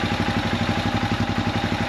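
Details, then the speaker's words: Royal Enfield Himalayan 411 that cuts out when warm and won't restart: single-cylinder thump idling around 1,400 rpm, sagging slightly as it warms after a previous run. Idle speed dropping; cause not found despite many checks. "the rev's dropping a little bit. It does rev. Or it does that. Ah, okay. Normally you can rev it a little bit."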